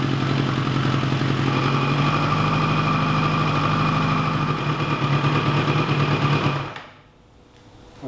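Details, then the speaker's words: 1986 GPZ1000RX four-cylinder motorcycle after cooling system work, started quickly and idling in an even, smooth, steady burble with no ticks or knocks before shutdown; no leaks and no smoke. Healthy running. "sounds fantastic and there's no leaks there's no leaks whatsoever and there's no smoking this time so that's also cool"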